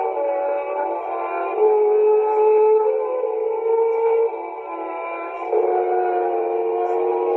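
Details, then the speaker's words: 1960s Mayfair Model 200 four-transistor tape recorder playing music: notes drift and waver up and down in pitch; high wow and flutter from imperfect reels and old tape. "you can still hear the pitch rising up and down in the music in particular and that's the nature of imperfect reels old old tape medium"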